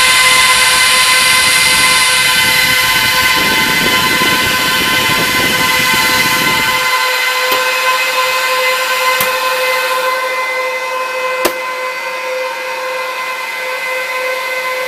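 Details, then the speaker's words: Trash-picked Dell PowerEdge 1750 server, running in apparent panic mode with the doors closed: a loud, constant high-pitched fan roar with a steady whine, fans pinned at full speed; cause suspected, not confirmed. "let's close the doors look at how much wind is blowing"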